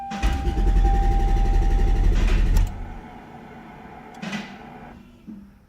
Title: Crank no start when at operating temperature.